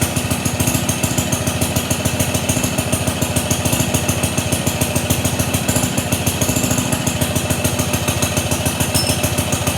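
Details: Pond lever-steer tractor, small single-cylinder magneto engine just started after adding idle fuel: even thumping around three beats a second with a faint scraping rub; suspected too-long clutch bolt, actually pressure plate fingers rubbing the bell housing.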